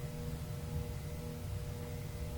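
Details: Thrift-shop Tektronix 574 oscilloscope powered on directly without a Variac: steady low 60 Hz mains buzz with no fan whoosh, the fan turning at about half an RPM. Cooling fan seized on dry, stiff bearings needing lubrication.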